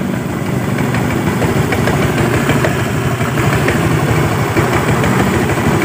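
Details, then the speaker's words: Automatic scooter at idle: dull, irregular thudding knock under the engine note; suspected secondary pulley or CVT fault (clutch linings, bell or spring) with judder and creep; not confirmed. "kita teman-teman dengarkan ini saat stasioner ya Ada suara degdeg"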